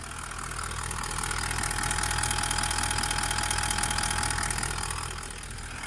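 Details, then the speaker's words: Toyota Land Cruiser 200 1VD-FTV diesel V8 at warm idle after a full rebuild for a foreign knock (piston or bushings suspected), assembled and going through injector coding: an even, quiet, regular clatter with no odd knocks or ticks from either side, all working fine. "Посторонних звуков нет. С одной стороны. С другой. Все работает отлично."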